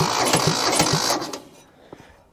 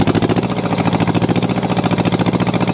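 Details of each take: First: Mitsubishi diesel tractor start attempt after glow plugs and ether: lumpy, stumbling chuffs that die away without catching; owner suspects the front cylinder carries it and fuel isn't atomizing in the rear cylinder (black smoke from one, white from the other). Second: Mitsubishi diesel tractor saved from scrap catches after glow plugs held for a 10-count and settles into a steady, even clatter about two beats a second; running properly after a hard start blamed on low compression and slow cranking.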